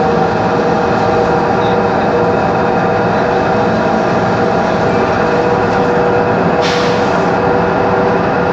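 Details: 2013 Mercedes-Benz Conecto G articulated bus, OM457LA Euro 5 turbo diesel, ZF Ecolife 6AP1600B 6-speed, ZF differential; steady mid-pitched whine over loud cabin rumble while driving, from a noisy faulty differential.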